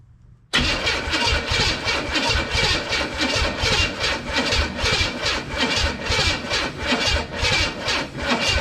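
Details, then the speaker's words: 1962 Impala old 350 V8, after refitting a smoking part: starter churns steadily at about two and a half beats a second without firing; crank no start, cranking slightly better, battery suspected too small. "Yeah. All right, that's better. I think it even cranked a little bit better there for a second."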